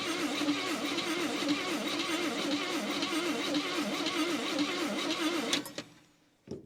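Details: 1959 Chevy Biscayne six-cylinder, formerly locked up after sitting 20 years, hot-wired points, coil tested good: steady cranking about four turns a second with no firing; cranks without starting, points and dwell suspected, not confirmed.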